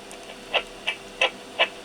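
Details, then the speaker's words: Yaesu FT-7800 transceiver noisy on transmit, heard after the ground-wire fault was fixed: sharp dry ticks about three a second over quiet hiss, an additional fault from intermittent contact in worn mic connector contacts. "so radio is still uh in transmit it sounds a little bit different and it uh and it is different on our"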